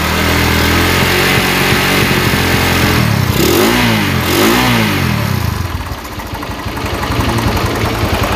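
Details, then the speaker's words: Honda GL100 single-cylinder, rough engine that bucks in 3rd gear and rattles at high revs, Shogun CDI fitted: loose irregular metallic clak-clak clatter that disappears when revved, indicating a loose internal component (e.g. cam chain); rod/piston damage also suspected. "ini suaranya klak-aklak suara aklak-aklak seperti ini ketika digas dia itu hilang berarti tandanya ada yang kendor pada komponen dalam"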